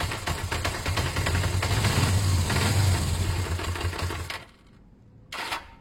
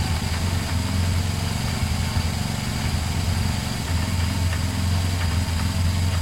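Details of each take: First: Motorcycle idling with a light, regular tapping about three times a second: an unhealthy engine knock. It revs fine and isn't lacking power; owner suspects it may just need fresh oil, cause not known. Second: Twin-cylinder motorcycle started after refitting a fallen second earth wire on the battery: steady, even, low-pitched idle with a regular throb and no ticking or knocking; idles fine.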